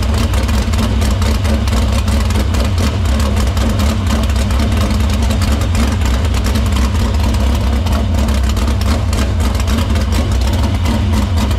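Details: Dirt Silver Crown race car started in the shop after fixing the fuel-cell line, cleaning the filter and feeding fuel through the pump and main lines to the barrel valve. A loud, deep, even idle with no misses, knocks or surging. Normal running.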